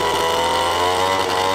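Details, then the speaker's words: Vintage Pioneer P41 66cc two-stroke chainsaw restored with carb rebuild kit, running on the newly fitted free-flowing muffler without back pressure: loud, steady high-pitched buzz with crisper crackle-pop exhaust, slightly louder; runs evenly and healthy. "We got a nice free flowing muffler. It's going to have a little more of a crackle, snap, pop to it. All right, so the muffler model, let's fire it up. It's a little louder."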